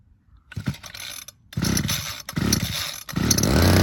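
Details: Two-stroke hedge trimmer engine previously knocking from a loose connecting rod, after repair; a few pulls and sputters, then catches and settles into steady high buzz; normal running.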